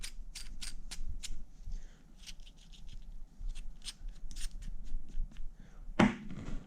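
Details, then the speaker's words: Honda Fit GD3 strut: the old strut mount bearing is turned by hand, giving uneven sharp clicks and a dry rattle, unlike the smooth new one. Worn strut mount bearing rattle. "and then this is the new one doesn't rattle doesn't make that noise it's a lot smoother operation"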